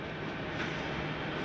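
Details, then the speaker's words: Jayco Jay Flight 33RBTS travel trailer slide-out retracting: a short, even grinding whir at full retraction. This is normal, the slide mechanism stopping itself from going further. "how'd you hear that little grinding noise because it's actually not a grinding noise it's the slide mechanism telling itself not to go any further"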